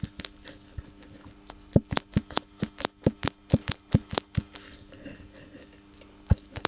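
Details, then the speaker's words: BMW X5 E53 old stabilizer link rocked by hand: sharp, dry, irregular clacks from a loose joint; lower ball joint failed after its dust boot tore and water got in. Worn sway bar link. "вот такие звуки издавал а наша старая тяга стабилизатора"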